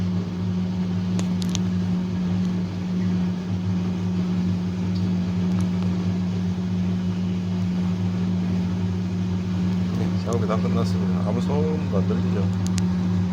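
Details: Fisher & Paykel direct-drive washer that had motor grinding and no spin: steady low hum of the drum spinning evenly, no grinding or scraping, light handling clicks in background.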